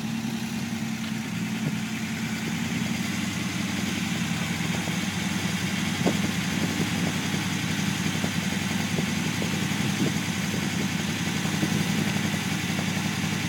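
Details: Unimog 404 on its first start after a rebuild, with new fuse boards and a rewire, holding a steady, even idle with no knocks: normal.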